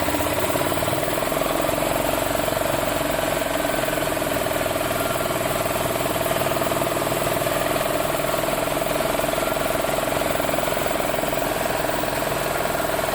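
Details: Yamaha Ultramax G23 utility cart with a single-cylinder engine and a crankcase-pulse fuel pump, earlier a crank-no-start: now runs at a steady, even speed with a constant buzzy tone, no misses or knocks; normal running.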